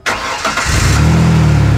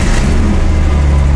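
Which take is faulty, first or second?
second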